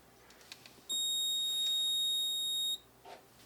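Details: Moose Z1100e alarm panel demo briefcase after a panic key press: a steady high-pitched beep holds for about two seconds from the keypad as the panel reports the alarm to the central station receiver.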